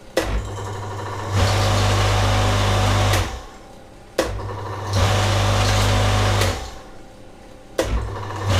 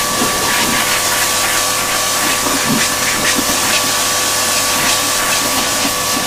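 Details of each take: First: Old Karcher K7.20 pressure washer that hummed without starting: fitted with a 35 µF start capacitor instead of the specified 40 µF, the motor kicks on four times with a deep steady hum and starts sluggishly; undersized start capacitor causes harder starting. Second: Karcher K7.20 pressure washer that hummed but would not start, tested after repair: loud steady spray hiss over an even motor-pump hum that holds without bogging or cutting out; the washer runs healthy.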